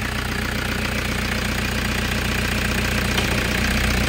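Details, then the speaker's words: Toyota Hiace GL engine idling with the air conditioning switched on during a preventive maintenance check: an even, smooth idle that holds firm under the aircon load, with no knock or misfire. No blow-by seen; the engine is healthy. "So, goods na goods pa yung engine mo. Tapos, on natin yung aircon."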